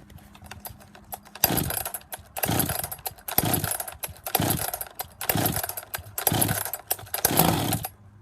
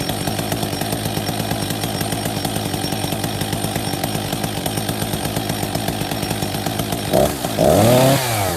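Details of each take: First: Husqvarna 262XP two-stroke chainsaw after decompression valve, clutch drive sprocket and bearing replacement: fires cleanly, choke off, throttle blips settling to a steady fast idle; running healthy. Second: Husqvarna 262 XP after new clutch drive sprocket and bearing, decompression valve replaced: steady two-stroke idle with the chain audibly dragging round, then a quick blip; the chain keeps moving at idle, clutch stays engaged.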